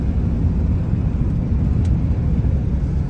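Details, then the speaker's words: 1993 Ford F-350 crew cab long bed on its first drive after sitting 10 years, with new fluids, battery, gas and tires, at about 45 mph: even low rumble and tire noise, no knocks or whines; slight exhaust leak audible underneath; normal driving. "A little bit of an exhaust leak, you can hear it down there, but it's not bad."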